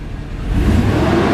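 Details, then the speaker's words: 6.0 V8 after exhaust repair and flex plate replacement: deep, even rumble rising smoothly with revs, no knocks or rattles, runs healthy; a separate whine is suspected to be the power steering pump. "Oh yeah, like a kitten. Purring like a 6.0 kitten."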